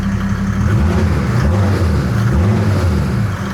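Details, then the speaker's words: Land Rover 110 build diesel moving under its own power on first drive after fitting inlet manifold, intercooler and radiator: deep raspy drone pulling steadily, no knock; much raspier and quicker with the manifold on. "Wh um it sounds completely different with the inlet manifold on now. It's it's much raspier."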